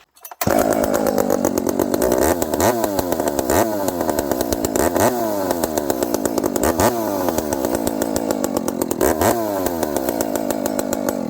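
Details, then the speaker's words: Dolmar 7300 chainsaw running a Husqvarna 266 Bearclaw exhaust pipe instead of the stock muffler. It fires on the first pull and settles into a crisp, steady idle with clean throttle blips: reliable normal start and idle. "Again, what a reliable saw. Just fires right up."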